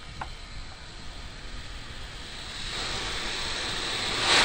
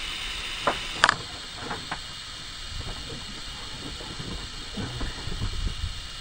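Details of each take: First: 1963–68 Ford F250 engine, compressed air fed into cylinder 10 with rubber stopper in the spark plug hole: air hiss builds then the stopper pops out, showing the valves are closed and the cylinder holds pressure before head work. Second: Ford F250 engine, rubber stopper jammed in cylinder six spark plug hole while turning the crank to close valves before head work; steady high hiss of air rushing past an open valve, then a sharp pop when the valves close.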